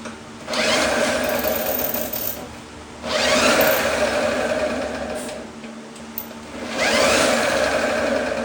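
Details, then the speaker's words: 1954 Lawn-Boy RPM 8FH13LB two-stroke mower, dormant 50 years, first start after points and ultrasonic carb cleaning, temporary fuel tank: surges to a high buzzing race in bursts, won't settle; loose throttle leaks air, choke does nothing, engine runs away wide open. "So I need to mess with the carb and see if I can do something different there cuz it just kind of runs away and even putting the choke on doesn't do anything. So that means that there's too much air getting through"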